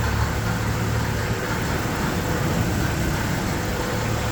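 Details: Jeep TJ engine idling steadily with a low, busy rumble and a loose rattle running through it.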